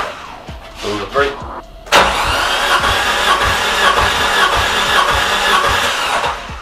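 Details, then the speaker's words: Nissan CA18DET in an S13 200SX with a suspected blown head gasket, cranking during an ear compression check: an even chug of about three pulses a second showing good compression on these cylinders. Cylinder 4 seemed to lack compression. "Okay, so did you guys notice that when we put the plug into each other cylinder, you heard a distinct boop, boop, boop, boop, boop."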